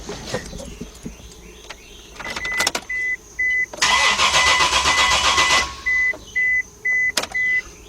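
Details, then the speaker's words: Chevy LUV / Honda Passport / Isuzu Rodeo (1997–2000): a chime beeps, then the starter spins about two seconds without catching. No fuel pump prime is heard at key-on; cranks but won't start. "I didn't hear the fuel pump I don't hear the fuel pump in this either when you put that key in the arm position you're supposed to be able to hear that fuel pump come on for a few second"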